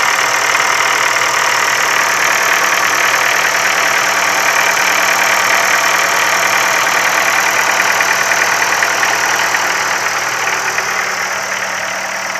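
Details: Ford Focus 3, 1.6 L 125 hp petrol engine at steady idle with a light, fairly regular tap about three times a second over the hiss; internal engine knock, source unknown.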